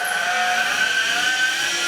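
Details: CycleOps Fluid2 bike trainer, two years old, ridden in the big ring: loud steady high whine with several constant tones, louder than others of the same model; tightening the bolt and roller made no difference.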